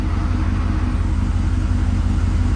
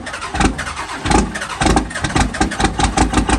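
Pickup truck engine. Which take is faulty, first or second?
second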